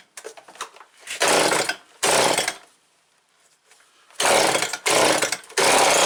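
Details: Stihl SH86C two-stroke blower, first start after complete rebuild with aftermarket coil; catches and roars in short uneven bursts, dies and restarts, won't hold a steady run; gas sprays into carburetor on purge, carb likely needs rebuilding.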